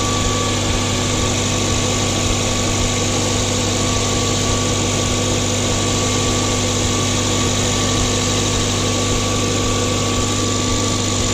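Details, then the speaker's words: Mazda 2 cold start just after installing a CorkSport short ram intake: smooth, even fast idle with a steady drone and no hissing or whistle from the intake side, coming down from fast idle; sounds healthy. "okay so that sounds good there's no weird hissing nothing sounds like there's alley closing and she's come down from the fast-idle starting to neutral for clutching anyway"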